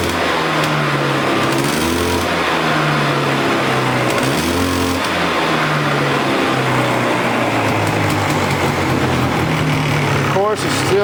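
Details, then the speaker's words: Polaris Explorer 400 two-stroke ATV, revived, running on choke: fluttery, uneven revving that surges and sags; excess oil in the crankcase from the oiler stuck wide open by a stuck cable still has to burn off. "got a lot of oil in the bottom end where that oiler was stuck wide open with the cable being stuck. So, it's got to burn a lot of that out, too."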